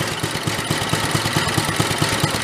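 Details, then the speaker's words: 1965 Chevy Corvair Monza go-kart, new small engine idled as low as it will go: low, lumpy idle about four to five thumps a second, uneven beats with popping, near stalling; stumbling idle with popping. "about that's about as loow as Qui go right there"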